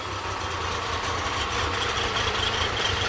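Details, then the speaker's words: Honda 30 outboard motor after lower unit overhaul, carburetors cleaned again: smooth, steady idle with an even low drone, no knocks or rattles; cooling and thermostat working, running normally. "And so it works without noise, everything is fine, no knocks, the lower unit has been overhauled."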